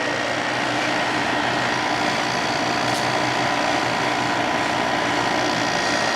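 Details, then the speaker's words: December 1995 Carrier VisionAire 6050 BTU 6 A window A/C, wet after hose clean-out, restarted: even steady rush of air and fan with light watery spatter from the slinger, no knocks or rattles; normal running. "cool it runs again shooting out the water there"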